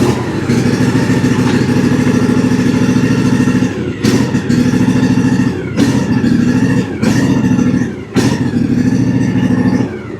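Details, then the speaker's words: Cub Cadet LTX 1042 KW riding mower (model 13WG93AS010), front deck belt removed: steady engine hum sags and nearly cuts out every second or so once the PTO is engaged; problem isolated to safety switches or electrical, not the deck. "Once again, as soon as I engage it, the mower tries to die on us."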